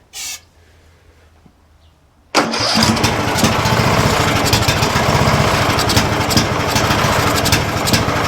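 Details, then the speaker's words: 2007 Craftsman LTS 2000 mower, started on starting fluid: fires and races to high unchecked speed; overrevving because throttle and governor were stuck. "Oh, yeah. Throttle stuck for sure. All right. Yeah, you guys could hear that. It was already trying to overrev. Governor was stuck."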